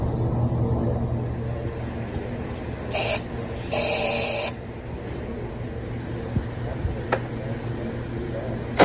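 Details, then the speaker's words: 2016 John Deere X330 twin lawn tractor, unstarted since 2018, new battery, air filter out, run on carb spray: short hissy bursts over a steady low beat on both cylinders; compression and spark fine, fuel pump delivery next to check. "it seems to run on both cylinders you know on the carb spray so we're good to go there the next step we're going to see if the fuel pump is actually you know delivering fuel to the carburetor"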